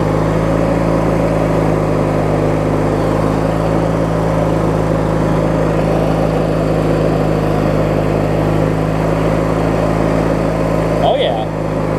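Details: Craftsman LT1000 riding mower with a swapped-in opposed-twin engine, running after refueling and restarting; steady, even low rumble at idle with no knocks or misses; opposed twin runs smoothly, normal healthy idle.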